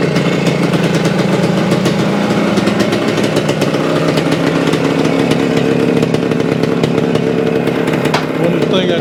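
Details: 1975 Suzuki TS-250 two-stroke, 6-volt system, after no-start repair: even, raspy buzz holding steady speed, no stumbles or rattles; sounds healthy after stator rewired, coil remounted on scraped frame.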